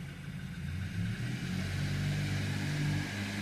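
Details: 2014 BMW X4 in drive with traction control off: the engine is held low and strained, then revs harder until the wheels break free.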